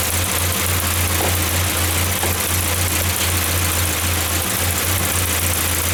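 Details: 1994 Saab 9000 non-turbo 5-speed, injectors rebuilt, vacuum leak plugged, new battery: idle drone dips and recovers at uneven intervals, surging; data stream good, compression good, owner suspects throttle position sensor, unconfirmed.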